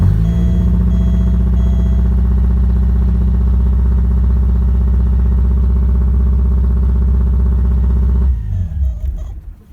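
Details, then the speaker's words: 1987 Porsche 924S running with the temp sensor unplugged and the fuel pump relay jumpered: fast, even idle for eight seconds, higher than normal, then shuts off; owner expects replacing the temp sensor to sort out the high idle. "as you can see it runs idles a little high but hopefully we can get that sorted out once I replace this temp sensor here"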